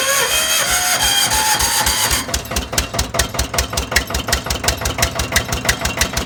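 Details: Old Winget one-ton dumper, sat for many years, single-cylinder Lister PH1 diesel, first start on battery and a retrofitted starter: rough at first, then evenly spaced chuffs about seven per second as it fires and settles into idle; smoking.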